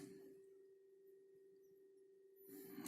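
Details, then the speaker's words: Lenovo Legion 5 17ARH05H laptop (GTX 1660 Ti, 144 Hz), reassembled after a fix attempt: thin steady tone near 400 Hz with a faint higher tone; fan whine quieter than before but still present, owner concludes the cooler fan itself is the cause. "да он стал потише ну чтож посмотрим по работает до однозначно стал тишина много но все равно есть значит все-таки дело в самом кулере"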